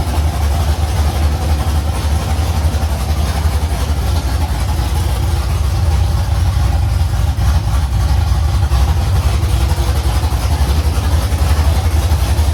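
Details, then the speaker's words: First start of a carbureted LS V8 in a Fairmont on open headers (1-7/8 in primaries, 3 in collector), fuel pump off because of carburetor leaks, about 40 psi oil pressure: a loud, deep, steady idle with lumpy cam beat and no misses or knocks. The idle is normal. "But, as far as a first fire up, I couldn't be happier. I'm thrilled. The It It sounds really good. It's It has good cam shaft sound."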